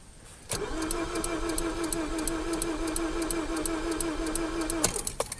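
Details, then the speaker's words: 2005 Mazda6 2.3 junkyard car, formerly no-crank, now cranks for the first time with fuel pump priming: starter spins evenly about four seconds but never catches; cause was a blown injector fuse. "that is the first time that I've heard it crank I don't know what exactly changed fuel pump again that's a good sign we're getting closer"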